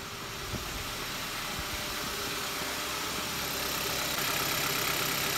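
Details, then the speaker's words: 2014 Kia Rio 1.6 with a crank position sensor code, hard start, stalling and a cutting-out RPM gauge; the scope shows the crank signal dropping out during a very extended crank, then a steady soft idle under a hiss with no clear misfire. "you can see our signal here started to drop out on us and it picked back up and then if we move another frame forward uh it's gone again and exactly when that happened we also noticed we had a hard start"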